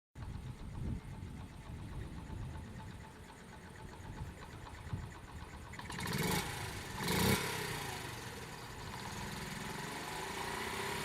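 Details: Honda Monkey Z50J small single-cylinder motorcycle after maintenance including carburetor overhaul and exhaust leak fix: steady even idle with a few brief throttle blips.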